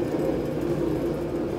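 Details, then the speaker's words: Large laundromat washer with both belts removed from the motor: a steady rolling whir with a faint hum from bad bearings in the drive motor; the drum bearings are fine. "That's the motors. The motor's bearings, when you turn it, I'm sure it's picking up on the mic. The bearings in the actual motor are bad, not the washer."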